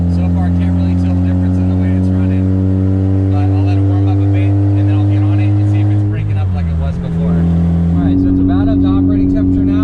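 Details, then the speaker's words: 2004 Mazda RX-8 manual six-port rotary, ignition rebuilt, catalytic converter removed as suspected clogged; loud droning exhaust under acceleration in second, still breaking up at high rpm but less than before; cause unconfirmed. "all right it's definitely still missing breaking up a high RPM so but not as bad as it was"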